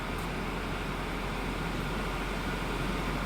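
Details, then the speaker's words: Auction car with about 150,000 miles, running well: steady, even airy rush from the AC blower with no rattles or pitch wobble; AC blows cold immediately, blower healthy. "okay and yes so we're looking at the AC gets cold immediately"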